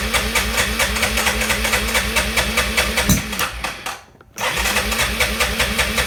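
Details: Arctic Cat ATV that won't start: even starter churn around three beats a second with a brief pause, never firing; cranks fine but no spark because a flywheel magnet came loose, magneto replaced.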